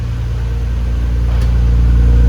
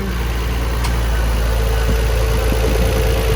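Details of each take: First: 1999 Nissan R34 GTR after cold start, idling; deep steady rumble, muffler sounds good, no popping, misfire or hunting, radiator fan audible, possible normal tapping noted, normal idle. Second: 1999 Nissan Skyline R34 GT-R at idle: low steady idle with faint, uneven light tapping on top, cause unclear; possibly another fan kicking on, thought normal and maybe exaggerated on camera. No odd popping or idling issues otherwise.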